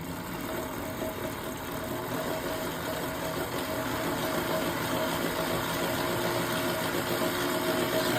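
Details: Lectric XP trike right rear axle after replacing the failed 20x35x9 mm bearing, test spin before refitting: steady, even whir as the wheel spins freely, no grinding, clicking or rumble; the new bearing runs smooth.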